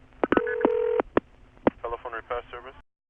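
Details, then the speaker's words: Bell System 355 step office, Kent CT, August 1980, with the call routed via a crossbar tandem to an ESS destination: a steady ring tone cut by clicks, with chirpy MF tone pairs bleeding into the transistor-oscillator audible ring supply; crosstalk. "on earth can cause that well it actually indicates two things in number one ESS the audible ring sound is generated by transistor oscillators which are amplified through a series of outputs"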